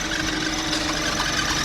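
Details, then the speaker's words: VW Polo at idle, previously had timing chain work: steady high squeal from the auxiliary belt area over the engine; loose belt slipping on a worn idler pulley with a slack tensioner. "The Polo that we're fixing up has developed a nasty squeal, and on inspection it looks like it's coming from the auxiliary belt area."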